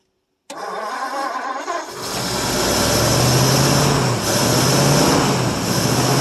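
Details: 1952 Ford Customline flathead V8 with dual glass-pack exhaust, cold start after sitting one to two months. It runs on a 6-volt battery with a 12-volt jump pack and gas poured into the carb. Brief cranking, then it catches at once into a smooth, quiet, even idle with no knocks.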